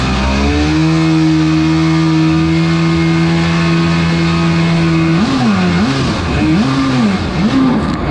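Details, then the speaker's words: Single-seat aluminum mini jet boat with 750 Kawasaki jetski engine, on-water test run in ice-cold weather and choppy waves: steady drone, then revs hunt up and down in slow surges about every second; not running right, cause unclear; poor running under load. "I'm done it's not running right so I'm not gonna"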